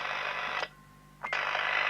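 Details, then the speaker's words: Team TRX404 UK CB 27/81 mobile radio, roger bleep checked on monitor receiver after alignment: steady high-pitched tone cutting briefly then returning; normal roger bleep. "Well, that's a funny little peep, isn't it?"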